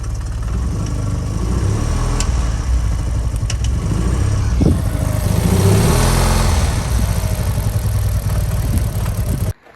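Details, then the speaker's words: Audi TT bought unseen; uneven, lumpy engine beat labouring as revs rise and fall; owner doubts a fuel pump issue and suspects low compression, unconfirmed, planning to remove the sump; rough running. "it doesn't sound like a fuel pump issue to me [Music] sounds like it's struggling for compression a bit"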